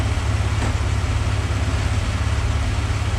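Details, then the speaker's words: Porsche 928 M28/12 4.7 litre K-Jetronic V8, first run after sitting 20 years, idling to get up to temperature at about 850 rpm; deep steady burble, even beat, no misses or stumbles; normal warm idle. "let's Let It idle for a bit longer I want to hear I just want to hear it running nicely get it really up to temperature"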